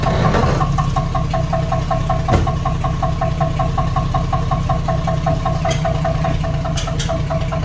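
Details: 1976 AMC Gremlin engine revived after 36 years stored, started after front disc brake work: steady idle with sharp metallic tick about three times a second, louder than usual; source unknown; metallic knock at idle.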